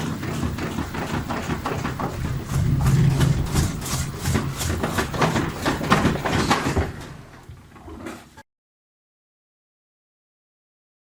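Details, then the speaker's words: Panasonic NA-FS14G3 EcoNavi top-loader on spin: rapid drum thumping about three knocks a second, excessive wobble, then cycle cuts out and restarts; traced to a jamming drain valve clutch. "these symptoms is the drum wobbles excessively and it ventually just keeps going through the program at wobbles cuts are and almost restarts again wobbles cuts are and restarts again"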